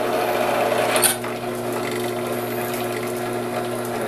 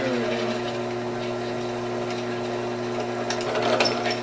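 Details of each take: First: Drilling a DIY hotend heater barrel/nozzle with cutting oil: a steady machining drone with a brief sharp crackle; that popping means the bit is overloaded and about to break. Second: Drill cutting stainless steel to make a DIY 3D-printer hotend heater barrel and 0.5mm nozzle; steady motor hum with an even cutting chatter and no squeal, so the bit is cutting cleanly and normally.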